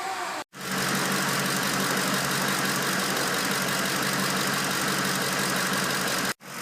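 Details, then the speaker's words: Ford 5.4 L 3-valve V8 after replacing camshaft phasers for phaser knocking: steady even idle with smooth quick valvetrain tick, no knock, stumble or rough idle; normal idle. "it should come out like this sounding like a brand new engine and no rough idle no check engine lights and running perfectly smooth like this"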